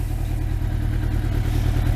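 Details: Old Thunderace motorcycle that has done 40,000 miles, being reassembled for MOT with the undertray fitted: steady low engine drone with a faint loose clatter; owner unsure if something is loose.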